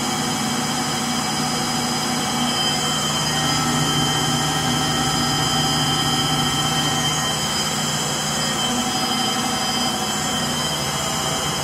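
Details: Frigidaire Gallery front-load washer GLTF1670AS1 final spin: loud steady jet-like roar with gritty rumble through the high-speed spin, attributed to bad motor bearings.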